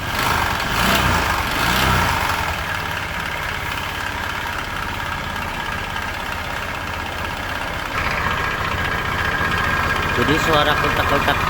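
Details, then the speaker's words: Honda Vario scooter (named as both 125 and 150) that ran out of radiator coolant and was very low on oil, before engine teardown: rough idle with fast uneven ticking knock, about three to four a second, from oil starvation damage. "inilah efek kalau udah pernah kehabisan oli dan apa namanya mengakibatkan mesin jadi bunyinya kasar seperti itu"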